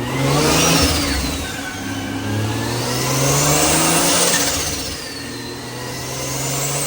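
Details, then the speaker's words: Drift Nissan R34 dyno pull on pump gas at 14–15 psi after a wastegate spring change, making 320 and 287; engine pulls smoothly with a rising turbo whistle, eases off and pulls again evenly, boost steady, running healthy. "All right, so that's pretty good. 320, 287. That's 14 pounds, which is fine."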